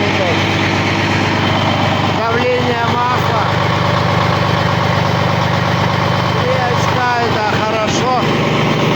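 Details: Caterpillar C13 diesel first run after a major overhaul: steady, even idle with deep low rumble, no knocks or misses; fuel pressure 4.3, all normal, healthy.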